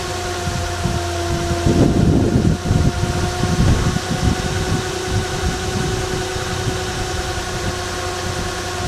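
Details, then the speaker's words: 2005-2011 Nissan Frontier/Pathfinder engine just installed, first fire-up: brief rough catch, then a steady smooth idle with a clean low hum and no shaking or knocking; runs healthy. "Sounds good, isn't it? There's no shaking at all. Very nice, very nice."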